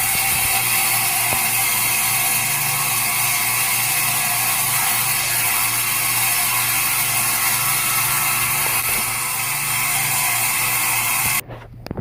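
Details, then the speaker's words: Steam boiler, dry, power on with new automatic water feeder: low water cutoff probe senses no water and opens the feeder; steady rushing hiss about eleven seconds then clean cutoff, normal fill cycle. "And this should start blinking over here. And should open any second. And there she goes."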